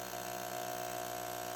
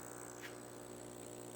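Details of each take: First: Aquarium air pump on glass table: loud steady electric buzz with fast rattle about four times a second, then cuts out. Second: Aquarium air pump after disassembly and noise-dampening modification, reassembled: soft, steady hum with faint airy hiss, no rattle or buzz; slight vibration only when touching the glass table; running quietly.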